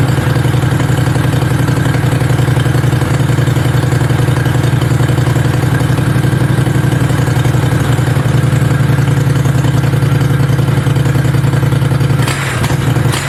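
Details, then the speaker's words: Mini bike V-twin; steady even tick-over with deep thumping beat, no misses; normal healthy idle before first ride. "oh baby oh this thing sounds awesome you guys oh it's sick ready to get her wrapped up now"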